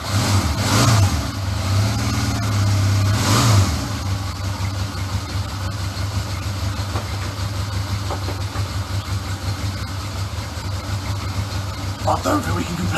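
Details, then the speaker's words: Honda CD200 Benly twin, first run: steady even low putter with light blips, smooth idle; runs like a Swiss watch, no leaks, good pressure at the exhausts; normal idle. "that was a proper result run like a swiss watch no leaks anywhere lovely pressure at the back of the exhausts hunky"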